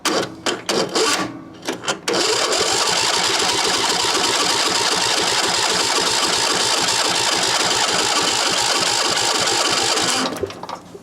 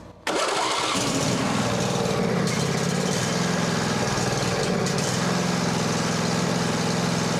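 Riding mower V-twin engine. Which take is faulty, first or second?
first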